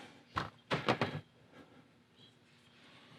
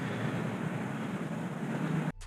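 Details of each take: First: New fuel injector for a 2003-2004 Chevy SSR 5.3L LM4 V8, bench-tested with a 9V battery, gives sharp irregular clicks as it opens and closes normally; the old cylinder 7 and 8 injectors, which caused misfires, stay silent despite good resistance. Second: 2004 Chevrolet SSR, 5.3L LM4 V8, after intake manifold gasket and fuel injector replacement: rough, lumpy rumble just after start; three cylinders misfiring (P0300), two traced to swapped injectors, then swapped for brand-new injectors.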